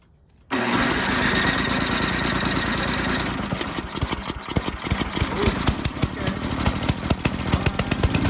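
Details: Old Toro 824 Power Throw snow blower with 8 hp Tecumseh engine, bought not running, old gas drained and inline filter added; primed, cranks briefly, catches and settles into a steady even beat; normal start and idle.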